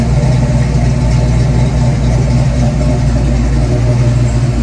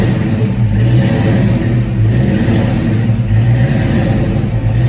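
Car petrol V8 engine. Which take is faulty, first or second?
second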